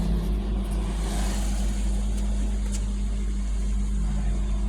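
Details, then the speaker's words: Kia Picanto with code P0303 cylinder 3 misfire and check engine light, after repair: steady, even low idle hum with no skips or stumbles; engine now runs smoothly without misfire. "है अभी एकदम missing भी नहीं है एकदम smooth है आप लोग देख सकते हैं"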